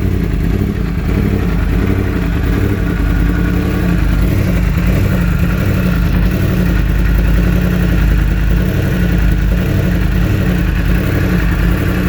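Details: 2016 Yamaha R1 four-cylinder after swapping injectors between cylinders 4 and 1: strong, even engine roar holding steady with no stumbles or skipped beats; misfire gone.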